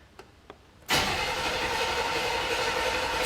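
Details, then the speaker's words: 1979 Chevy Caprice being revived, new battery, gas and 2-stroke oil poured in: faint clicks then steady harsh cranking with one little pop, no fuel yet, owner suspects flooding; cranks but won't start. "Woo! Little pop. No fuel yet. Yeah, I think it's flooded now."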